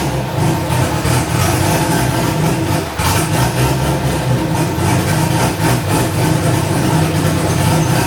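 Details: First start of a newly LS-swapped, cammed wide-body C4 Corvette (turbo build, stainless exhaust, no cat): steady, lumpy idle with a rhythmic choppy lope and no knocks or ticks. Oil pressure is present and the air-fuel ratio is about 13.5; it runs healthy.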